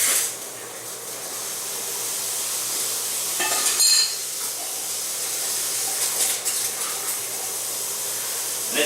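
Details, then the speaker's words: Cascadian automatic water filter commissioning: valve barely cracked open about a quarter inch with the system in backwash stage; steady rushing hiss with brief sputters as trapped air is pushed up out through the filter, opened slowly to avoid clogging the upper distributor basket. "They are a little bit tight, so I mean it does take a little bit to get it moving. You'll start to hear the air flowing through the system."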